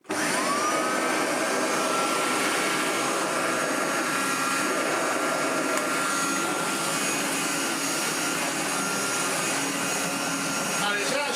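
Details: 1985 Hotpoint Super 3650 vacuum after restoration, bearings flushed and re-greased: motor spins up to a steady, clean whine with one even tone, no rumble or grinding; healthy normal running.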